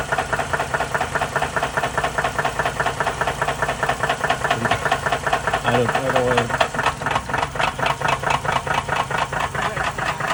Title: Can you tell what the problem is with this engine? ￼#knocking #ping #jacked #blownup #trash